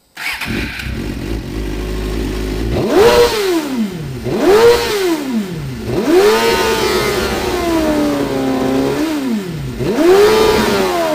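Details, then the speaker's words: Engine that previously cut out past 8,000 rpm, idle fuel pressure 43 psi dropping while driving, fuel delivery test failed, owner suspects fuel pump: about five sharp throttle blips climbing cleanly to high revs with no stumble or cut-out; revving to redline. "it's revving how it should rev right now which is confusing me uh yeah earlier today and previously I couldn't rev past 8,000 RP PM without it um cutting off"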